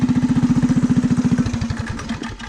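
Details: Rat rod small single-cylinder on choke after new gas tank fitted, small leak at tank's top noted: even putter around fifteen pulses a second, then slows and fades; normal running.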